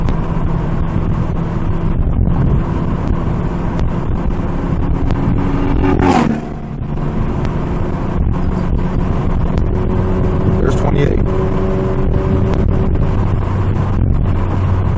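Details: APR Stage 2 VW GTI with APR downpipe, heard from inside the cabin: a low booming drone builds as revs climb through 2500–3000 rpm, the exhaust drone that starts at 2800 rpm.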